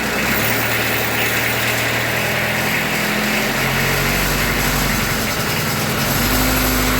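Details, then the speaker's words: Kubota B3030 diesel tractor after 400-hour service and filter change, briefly started without coolant: idle has a short unsteady patch then settles to an even beat as a small air bubble clears through the injectors. "there you see that it was just a little bubble of air in it went through now she's good perfect"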